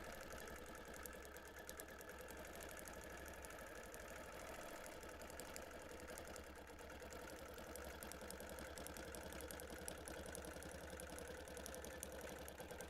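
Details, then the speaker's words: Longarm quilting machine appliquéing wings through multiple thicknesses of fabric and fusible: fast, even ticking with light popping as the needle punches through; tension and stitches fine, normal operation. "you can hear the machine kind of popping because it is going through multiple thicknesses of not only fabric but also of the fusible."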